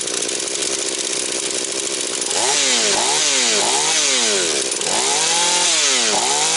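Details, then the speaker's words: Husqvarna 240 chainsaw, mixture leaned to 2 and 1.75 turns, idle raised: crisp fast revs climb and drop cleanly several times, no hesitation, no air leak. Normal running. "Ну що вам скажу Люкс пішла як годинничок значить набір обертів скид швидкий Все як має бути підсмоктування повітря нема"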